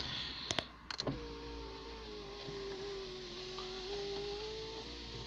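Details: Citroen BX electric window after greasing the runners and refitting the door card: door closing clicks, then steady motor hum with slightly rising tone as glass travels smoothly; window runs healthy and noticeably quicker.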